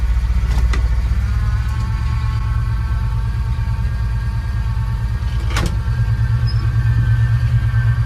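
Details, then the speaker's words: 1986 Jeep Grand Wagoneer AMC 360 V8 on a cold start: thin steady whine from the engine bay over a low rumble, stronger when turning the wheel; power steering pump, reservoir found empty. "this is a cold start and we're gonna listen to that whining sound that is coming from the engine bay which is ultimately the power steering"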